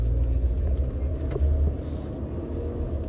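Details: 2012 Toyota RAV4 driving after front wheel bearing replacement: a low, steady road rumble without the earlier high-pitched whoa-whoa throbbing on sharp right turns; the bearings sound quiet and healthy.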